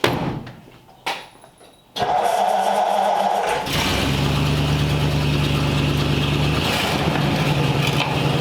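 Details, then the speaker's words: 1940 Ford Tudor after carb repair and exhaust leak patch, started cold outside, tiny pinhole exhaust leak remains, carb may need adjusting for new back pressure: fires up, settles to steady slightly fast idle, even hum, no popping — normal cold idle. "all right so got the car pulled outside out in the open and has a tiny tiny little exhaust leak probably a little pin hole that we didn't hit but actually now it's outside sounds pretty good it's not bad at all so I would say that's a win"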